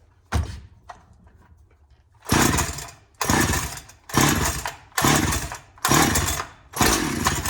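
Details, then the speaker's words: Donated 2005 Husqvarna 372XP chainsaw, said to have run poorly, fitted with replacement muffler and bolts, run on non-ethanol premix: sharp pop, then clean full-throttle bursts about once a second dropping back to idle; starts, revs and oils fine. "so she works oh she runs anyways she oils"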